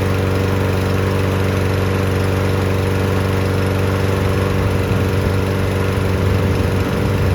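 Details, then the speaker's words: Newer Toro Recycler mower after fixing water in the fuel, cleaning the carb and changing to 500 ml of fresh oil, air filter off: a steady, even low drone with no misses, surging or knocks, good to go. "Yep, sounds good. Okay guys, let's go get that air filter on. And there we go guys, that Toro recycler, it's good to go."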